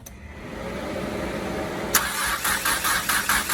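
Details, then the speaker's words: Starion/Conquest G54B engine after head work, sitting a long time, cranked with spark plugs in to prime oil pressure: even compression pulses about 2.5 per second, turns but never fires. "So we're going to go ahead and crank it just to get that oil pressure up. So when it does start, there won't be any problems. So here she goes. She's going to crank up."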